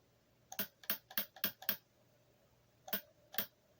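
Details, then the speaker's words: Bench test of a rebuilt replacement transmission valve body for a Rabbit, solenoids powered from a 12 V battery. Crisp, firm clicks come in a burst of five, then two more. This solenoid is switching properly. "So that one, you can hear it's working. Let's go to the next one."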